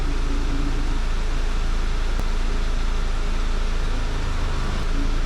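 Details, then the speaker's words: 2002 Audi A4 1.8T driving after cam chain tensioner and slide replacement, engine warm, misfire code cleared: steady even engine hum with smooth low pulse, no stumble or miss; running normally. "Okay, now we're doing good. It's driving just fine. Seems like everything's working."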